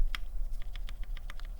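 Crisp, even keystroke clacks with no ringing tick afterwards; the stabilizer on this key sounds clean and properly tuned.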